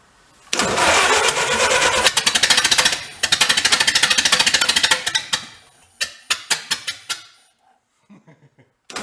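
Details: 1931 Ford Model A pickup barn find, open exhaust, fuel dripping, timing about to be bumped by hand: catches and runs unevenly at about three uneven pulses a second, then stumbles and dies; rough running, cause unclear.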